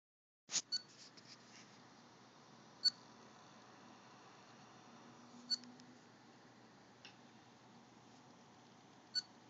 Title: Dell Precision M6400 Chirping Sound